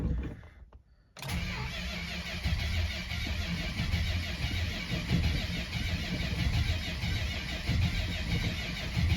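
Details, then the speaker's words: 1972 Chrysler Imperial 440 V8 cold start after sitting about a month. The slow-spinning Chrysler starter cranks a while, then the engine catches and settles into a deep, slightly uneven V8 rumble. A normal start. "So for those of you who love to hear the Chrysler starter, this will be a special treat. Because they don't spin very fast in these years, and they take a little bit of cranking to get going."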